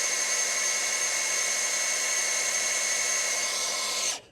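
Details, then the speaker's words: 1971 Ford F350 crew cab barn find, priming oil pump with drill through distributor hole before first start: steady high drill whine then stops; oil seen dripping into lifter valley, priming normally. "I'm seeing oil pump down into the lifter valley. So, I'm seeing it drip down in there. That's a good sign."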